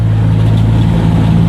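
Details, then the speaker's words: Maruti Omni after rear differential fully replaced (old differential oil burnt, rear wheels not driven): climbing a steep hill under load, steady even engine drone with no clunks, knocks or whine from rear; driveline healthy. "നല്ലൊരു അത്യാവശ്യം നല്ല കുന്നായിരുന്നു കയറി വന്ന് കേട്ടോ."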